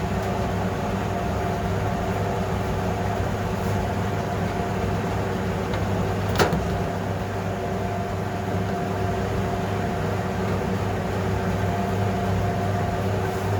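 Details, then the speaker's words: Fisher and Paykel dryer after motor capacitor replacement, drum running the opposite direction to check idler squeaks: steady even drum rumble, low hum, no squeak or chirp; healthy. "That sounds really good. We'll just wait, and well, I'll just wait, and this will eventually stop and it will go the other way, and we'll see if we've got any squeaks going the opposite direction"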